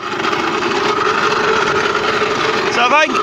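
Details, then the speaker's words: Puch Mini Maxi moped two-stroke after fresh transmission oil, still sounding terrible, heard with magneto cover area examined: steady high-revving drone with constant ringing tone; possible rubbing, seems to come from above, nothing stops it; abnormal mechanical noise, source unclear. "you might be rubbing a lil bit in there but it sounds more like it's coming from up here nothing seems to stop it it's quite strange"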